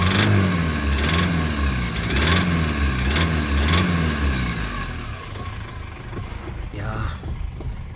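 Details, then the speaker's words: Foton Tunland diesel with recently repaired injectors, two of which failed again: rough, lumpy idle with a sharp knocking rattle on revs, smoke still coming out. Knock likely injector-related, root cause unconfirmed. "she sounds slightly better but you can still hear the diesel knock over there I don't if you can see the engine but she's quite she's idling quite rough"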